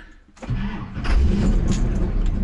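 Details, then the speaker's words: 1985 Chevy K10 with a new engine, dead on the trail after an extreme angle: the starter cranks and the engine tries to catch with uneven surges but never runs; the owner suspects it is not getting fuel while the fuel pump is heard cycling. "Come on, get some fuel. It's not getting fuel. When I was on that extreme angle, I could actually feel it almost dying. And it's not getting fuel."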